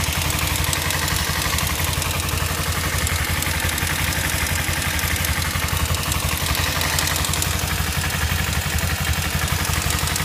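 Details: Kawasaki Ninja sport bike idling steadily with a fast, light ticking over the exhaust note: engine ticking noise at idle.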